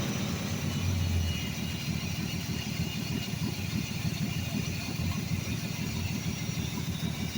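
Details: 1982 Ford F150, 300 engine, automatic: idle stumbles with uneven, lumpy pulses about three a second, never settling; owner suspects a large vacuum leak around the Quadrajet carburetor, not confirmed.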